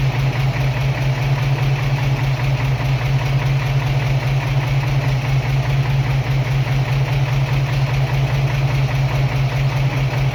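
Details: 1978 Toyota Land Cruiser FJ40 on its first start after a spun bearing: a steady low idle with an even pulsing rumble of about two and a half beats a second; the engine runs and holds idle.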